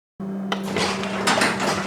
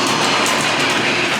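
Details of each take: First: Genie belt-drive garage door opener, newly installed, after programming: low steady motor hum with light door rattles as the door closes; much quieter, smooth normal operation. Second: Old garage door opener before replacement with a new Genie belt-drive unit: loud steady rattling clatter with a harsh grinding edge throughout the run; far too noisy, cause not pinned down.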